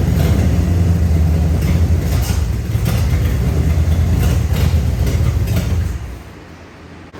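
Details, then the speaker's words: 3rd-gen Camaro Z28 305 H.O. V8 after priming the fuel lines: catches and runs unevenly for a few seconds, then fades and quits. Fuel delivery issue; it runs only on fuel poured into the carburetor, not from the gravity-feed line. "All right. So, it's clearly starting. It clearly seems like a fuel delivery issue when I'm able to get it to start and run for any decent amount of time."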